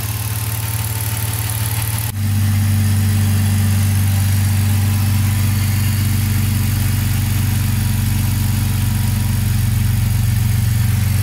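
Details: BMW six-cylinder (title: E60 M54 / E53 M62) with sporadic misfire and an injector no-signal fault. After securing the sixth injector's electrical contact and checking for leaks, it idles smoothly with a steady, even hum and no stumbles.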